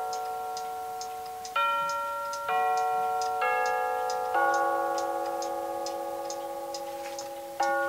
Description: Making a Solid Oak Mantel Clock with a quartz chiming movement.